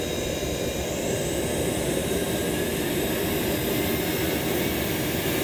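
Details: JetCat RC jet turbine after repair of starter clutch, bearings and deformed NGV that caused blade rub: even steady roar with constant whine and hiss, no surging or scraping; auto-start normal, idle temperature under 500 °C.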